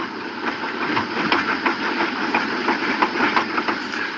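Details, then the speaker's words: Car with customer complaint of wobbly steering: light, fairly even knocks about three a second from the front end over a steady mid drone; tie rod suspected, not confirmed. "whatever the issue is is actually there let me figure out what it is that sounds like a tie rod"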